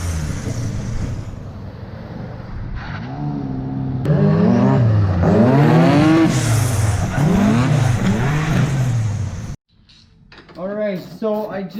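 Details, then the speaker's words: Twin-engine Mazda MX3 AWD drift car after fixing a corroded ground that made it break up in the back: repeated strong rising pulls and gear changes without hesitation or cutting out; normal full-power acceleration. "after fixing that one ground that was actually a problem then it started really taking off"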